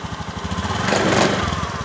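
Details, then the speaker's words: Honda Beat ESP scooter: normal when not throttled, but an uneven knocking judder from the CVT as it pulls away, easing once moving; worn clutch shoes. "kalau gak digas normal tapi pas mau awal Jalan dengarkan suaranya nah kayak jondol-jondolah kedengaran"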